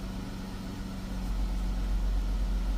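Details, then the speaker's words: Chrysler 300 3.6 V6 after oil cooler housing and line replacement, codes cleared, oil pressure 83 psi: smooth low steady hum with constant drone near 180 Hz, no knocks or misses; healthy idle, no code. "Okay. Sounds okay. I'm gonna have to go for a drive and then Check it out. But there's no code."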